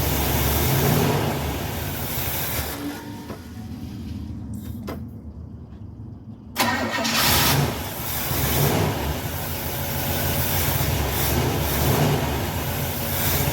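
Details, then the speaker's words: 1960s GM carbureted car, unstarted for 3 to 4 months with a dry carburetor, started after priming the carb with fuel by syringe: brief crank, pause, then fires and settles to a steady, even idle; fuel leak noticed afterward. "well it started I was hoping it was going to start on the first crank it usually does of course this time it didn't but it did start"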